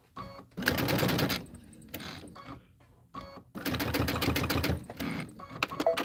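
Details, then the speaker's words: Sewing machine stitching pillow borders gives uneven, clunky bursts; the thread seems to have come out of the take-up and balled up underneath, so rethreading the upper is the planned fix. "That doesn't sound right to Something sounds clunky. Oh, look at that. Did I somehow come out of the takeup?"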